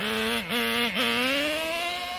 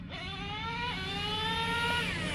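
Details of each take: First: Traxxas T-Maxx 2.5 nitro engine fitted with a Losi 3.4 carburetor sags twice off throttle, then climbs slowly and flatly. It is running really rich, leaving no bottom end. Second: Traxxas T-Maxx 2.5 nitro RC truck fitted with a Losi 3.4 carburetor as a budget upgrade: high, buzzy idle with wandering pitch, improved but not perfect; bottom end now stronger than with the previous rich-running carb.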